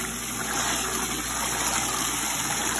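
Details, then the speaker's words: Late-1940s to early-1950s Easy Spindrier washer, unrun for at least 25 years and unrepaired, on its first load; recirculating pump gives a steady motor hum over smooth rushing water, no knocks or leaks, working properly. "and that kind of recirculates the water through the tub as it runs if you want to do that pretty pretty cool pump works really good"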